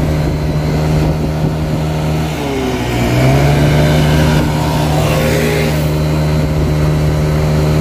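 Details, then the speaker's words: Chinese 50cc scooter engine on a ScootSled, CVT with three variator rollers; revs up very high with weird shift points. Buzzy note flares high, sags, climbs again; over-revving from too-light rollers. "however however it is revving very high and it's creating weird shift points so what we need to do is remove the rollers that are in there and put three slightly heavier ones"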